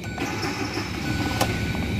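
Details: 2017 Hyundai Elantra 1.6L petrol engine at idle with a dull, regular knock under a low rumble from worn connecting rod bearings; loss of compression, restarting problem, engine due for full teardown: rod knock at idle.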